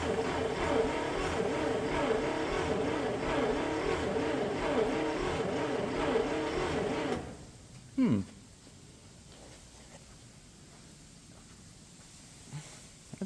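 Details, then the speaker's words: 1965 International Scout, off the road since 1979; sticky key, positive battery cable getting warm. Starter turns the engine about four times a second for several seconds, then quits; starting-circuit problem suspected, not confirmed. Slow cranking. "key is a little sticky that's a morgage in there it's a little slow"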